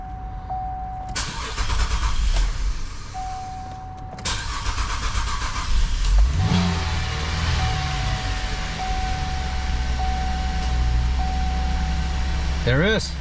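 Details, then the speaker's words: 2011 Chevrolet Traverse after alternator and belt replacement: engine runs steady and quiet at idle with no squeal, chirp or bearing growl; the earlier noise was a bad pulley bearing, now fixed. "nice and quiet no noise it was sounding like a like a bad pulley who actually was a bad pulley but a bad bearing really weird so it is nice now just you can hear the engine only running very good"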